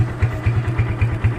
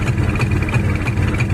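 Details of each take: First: Kawasaki Barako 175 single-cylinder at idle: even thump about four or five beats a second, no knock or miss; normal idle, though it sputters when revved. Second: Kawasaki Barako 175 single-cylinder revved from a normal idle: uneven, lumpy beat of about three pulses a second, stumbling rather than pulling cleanly; sputtering when revved, cause not yet known.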